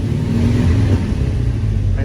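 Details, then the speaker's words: 1975 International 200 pickup after swapping a couple of plug wires. Before, it would not idle well and was driven at only 30 mph. A deep, even rumble now, running much better; owner thinks it still needs fuel and perhaps a carburetor clean. "well i got back to the house i had to switch a couple of plug wires [Music] runs a lot better"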